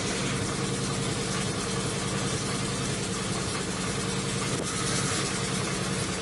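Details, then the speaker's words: 2005 Chrysler 300C 5.7L Hemi being rebuilt, at idle: dull, even knock low in the engine keeping time with engine speed, sounds like rod knock, cause unknown; owner earlier suspected cylinders five to seven; engine knock. "you hear that that sounds like a fucking rod knock and for what reason is knocking i have no idea"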